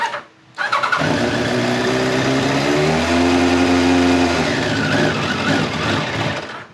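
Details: 1989 Kawasaki ZX-10 (ZX1000) with Keihin carbs, on the enricher and smelling extremely rich, catches and revs briefly, then sags, stumbles and dies as the throttle opens; the carburettor slow circuit is suspected.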